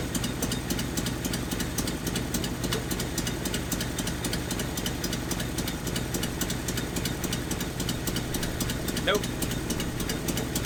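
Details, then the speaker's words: 1981 Nissan 280ZX inline-six with a five-speed, revived after sitting 15 years: steady idle with an uneven, stumbling beat as one cylinder drops out; found with a screwdriver on each injector, a non-clicking injector, its wire broken; misfire from a dead fuel injector. "so what i did i took a screwdriver here placed it on the base of the injector and stuck my ear up to it and i could hear a clickin"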